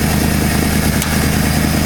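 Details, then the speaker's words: 1968 Ford F250 camper-special pickup, unrun for years, finally idling steadily after the condenser was replaced. Air/fuel mixture screws at two and a half turns, not fully warmed up. Steady, even idle rumble with regular firing pulses, no misses or knocks. "no way that's the bestest sound that's that best I've ever heard"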